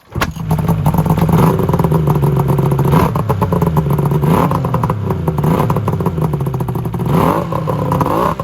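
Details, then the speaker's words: Yamaha Venture/SXR 600 triple snowmobile after carb cleaning and TORS bypass: uneven popping and bogging as revs rise and sag, never smoothing; one cylinder not firing. "It's not running on one cylinder. I know that for a fact."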